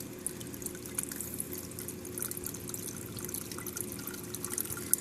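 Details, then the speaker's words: Aquarium Durso standpipe drain with vent hole/cap covered: irregular gurgling, slurping and splashy spits as it goes into full siphon; the open hole breaks the siphon so it runs silently and the sump doesn't overflow. "uh what you need you need that hole there because it uh it breaks that siphon so you don't get a full siphon you hear that so you need that hole there"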